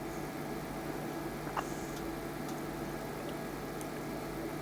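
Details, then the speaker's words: HP 8901B Modulation Analyzer after replacing its noisy fan; smooth steady whoosh with a low even hum, no rattles, measured about 64 dB SPL at the same position as before; replacement fan is running normally. "and quiet okay let's Joe SPL yeah 64 DB it's only marginally out of my computer"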